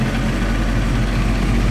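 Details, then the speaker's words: 1994 Honda CBR 900RR warming up at idle; it misfires at low and mid rpm and idle won't stabilize, despite carb work and replaced carburetors: deep, slightly lumpy idle, possibly one cylinder not firing, suspected, checked by exhaust heat. "a gente vai ver os escape se estão todos quente né gente tem de repente um cilindro que não esteja queimando"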